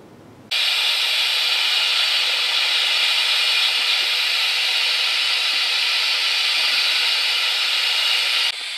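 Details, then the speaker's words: Coats 5030A tire machine rim clamp air cylinder, compressor shut off and winding down: a steady sharp hiss of air leaking from the cylinder end with the clamps in; owner suspects an end seal, possibly a worn shaft. "what I figured out is that when the clamps are in it's leaking from the end here which I think is an easy seal"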